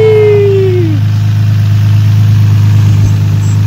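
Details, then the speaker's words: Infiniti G35 with freshly installed replacement engine; even low idle hum with a brief falling whine at start, no knocks, ticks or misses, clean healthy idle. "it sounds so good now it's like it doesn't sound like I don't know like it sounds clean you know like nice and clean"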